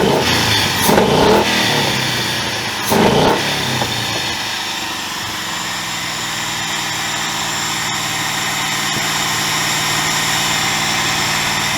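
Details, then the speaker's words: 2000 Ford Mustang GT with a Lincoln Mark VIII 4V swap engine. Two quick blips, then revs hang high about four to five seconds before settling to idle. Owner attributes it to the ECU being from an automatic 2003 Mercury Marauder: hanging idle after rev. "if you listen to the uh after i revved it you notice that the idle hang a pretty good mount for about four to five seconds and then it dropped that issue is because the ecu i'm using is out of a 2003 mercury marauder"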